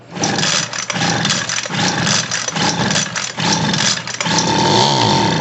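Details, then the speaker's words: Homelite 26B blower before carb and fuel line repair, air filter off, carb cleaner sprayed in, full start with no choke: repeated pulls give a brief rough firing that dies, so spark and compression are good but the carburetor isn't delivering fuel. "It fired up, shut back off. That means it's got spark and compression, but the only fuel add was the carb cleaner I sprayed in it."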